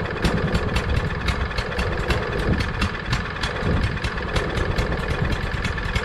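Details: Craftsman push mower with Briggs 550EX engine, stored all winter, freshly filled with gas, nothing else done: engine chugs unevenly with irregular surging beats over a steady tick; rough running, carburetor suspected.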